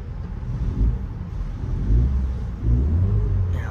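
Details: Ford EcoSport on test drive with the AC on, low even engine rumble swelling smoothly under throttle with no stumbling, after swapping in used spark plugs for a cylinder 2 misfire; check engine light now off.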